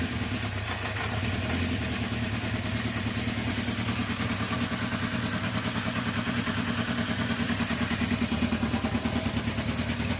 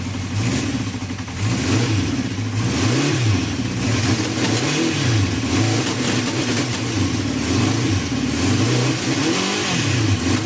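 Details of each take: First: Honda CB350 after carb cleaning and balancing, new 17/39 sprockets, choke off: catches quickly and settles into a steady, even idle, a touch low but smooth; normal start and idle. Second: Honda CB350 four (four carbs), just cleaned and refitted, running without choke, before balancing, idle set just over 1,200 (spoken as "12200"). Revs blipped rise and fall unevenly with a slight stumble and splutter. Unbalanced carburettors.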